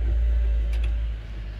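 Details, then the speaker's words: 2012 Dodge Charger new windshield washer fluid pump bench-tested with key in accessory, replacing one that made no sound; short steady low electric hum ending in a click; normal washer pump operation. "i'm going to press the wipers and see here the motor yes yes i hear you all right it's working"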